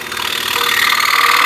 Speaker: machine on and just listen to that it's just purring away a nice quiet machine-ness